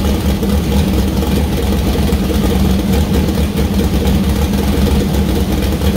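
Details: First start of newly built 2000+HP LS V8: Dart LS Next block, 4in-stroke crank, 4.140 bore Wiseco pistons, Brodix BR3 heads, .750-lift solid roller cam. Steady even lope, no knocks or rattles; normal running, small oil leak at cam-driven fuel pump and water leak.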